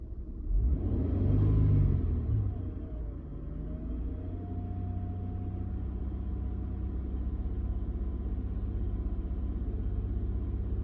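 Low, uneven idle rumble with a lumpy, irregular beat of about four pulses a second; the engine idles rough, cause unclear.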